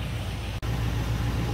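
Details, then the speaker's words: Carbureted truck engine after fitting a self-correcting carburetor tuner (Carb Cheater): steady, even, smooth idle at good idle RPM and air-fuel ratio; normal idle. "all right so we're maintaining a good idle RPM good idle AFR"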